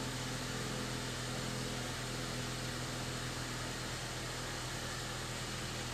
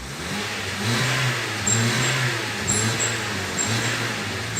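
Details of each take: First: Honda New Civic after the whistling exhaust was fixed: an even, full engine roar held steady for several seconds, then dropping off, with no whistle left; the exhaust sounds healthy. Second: Honda New Civic with aftermarket sport exhaust tip: whistle on acceleration, not from the tip; engine hesitates when accelerating and the turbulence whistles. Engine revs with low rumble while a thin high whistle comes and goes as throttle opens.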